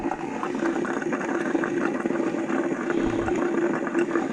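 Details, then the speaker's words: New AO Smith under-sink reverse osmosis system, first water turn-on: steady rushing, gurgling water noise with a faint hum; noise stopped once the drain flow restrictor was fitted per the instructions. "I turned the water on. It's making this noise."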